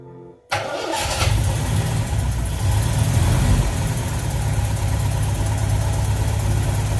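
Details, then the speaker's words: 1979 MGB, cold start after oil check and battery charge; engine catches and settles into an even low idle that rises slightly and levels out as it warms, temp gauge not yet reading; normal cold idle. "can hear the RPMs coming up a little bit. It's leveling out, starting to warm up."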